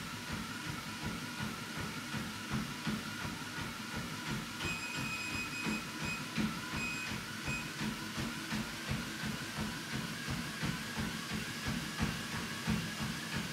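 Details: WalkingPad X218 dual-folding treadmill: steady, even motor hum with a regular footfall beat near three per second, no clicking or scraping; running normally.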